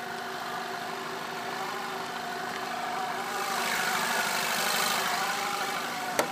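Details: VW 2.0T at idle: steady idle with a thin high whine and hissy swell; intermittent odd noise throughout the vehicle's life, dealer heard nothing, others suggest a dying water pump; unconfirmed.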